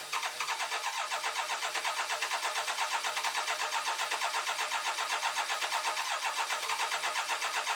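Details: BMW K1200LT after installing a new fuel pump maintenance kit, fuel pressure being checked: steady, even starter cranking at about four beats a second with no catch or firing; engine turns but won't start.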